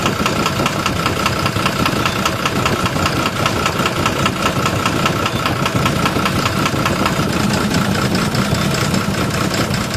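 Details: 12-M FE engine at steady idle with a regular, hard tapping knock two or three times a second, even over the engine hum; engine knocking, cause not yet pinned down.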